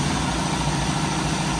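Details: 1985 Jeep CJ7 with 250 cubic inch inline six, first start after Holley Sniper EFI install: steady, even low idle with no misses, knocks or hunting, settling straight in and running smoothly; normal idle.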